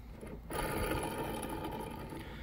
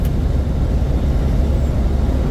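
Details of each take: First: Big rig belt tensioner, removed after belt screeching when the fan clutch engaged at higher rpm: hand-spun pulley gives a dry, gritty rasping whir instead of a smooth spin; worn tensioner pulley bearing, tensioner also losing tension. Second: Big rig driving about 66–67 mph at about 1400 rpm with fan clutch engaged, after new belt tensioner (belt, two idlers, fan clutch previously replaced for screech): deep even road and engine rumble, no squeal or chirp; belt drive fixed.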